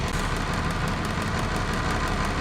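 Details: International DT466 diesel idling with a rapid, slightly uneven clatter and faint surge, still present after valve cover gasket replacement; stumble/miss traced to intermittent injection control pressure sensor wiring found by wiggle test.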